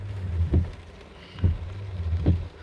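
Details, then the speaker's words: Honda Accord windshield wipers after fixing a worn, dried-out squeaking rubber blade: a soft, even thump at each end of the sweep, about once a second, with no squeak or chatter. The wiper now runs quietly. "so it's working perfectly fine quite smooth it's no more noise no more switching noise right now"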